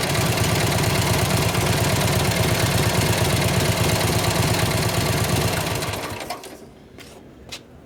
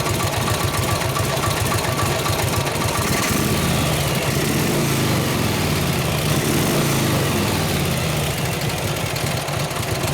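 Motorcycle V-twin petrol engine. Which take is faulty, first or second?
second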